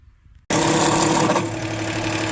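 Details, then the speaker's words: 2008 Chrysler 300 Limited 3.5L V6, serpentine belt removed, noise persists: engine fires up with a steady whirring tone over the run, traced to the timing belt tensioner pulley; timing belt tensioner pulley noise. "there it is y cing tensioner that's the issue"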